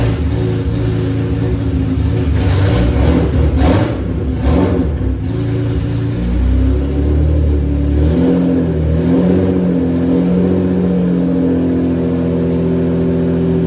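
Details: BMW E36 with swapped S54 engine, first start, exhaust not fully built; steady idle then clean blips up and back, no ticking or knock, VANOS sounds great; healthy running.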